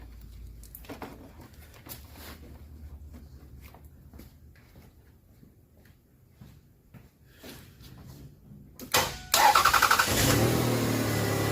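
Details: 1997 Toyota with a crank-no-start fault and a blown EFI 15 fuse, after cleaning corrosion: after a quiet stretch a short crank, the engine catches promptly and settles to an even, steady idle.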